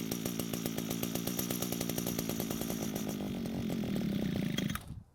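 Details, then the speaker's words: Older gray Echo trimmer unused for a long time, won't start; primed with fuel: buzzes steadily for about five seconds then cuts out abruptly, running only while the carb holds primed fuel — fuel starvation pointing to the carburetor. "so the engine started and ran a bit longer than expected which means it was able to pull some fuel from the tank and make it to the carb"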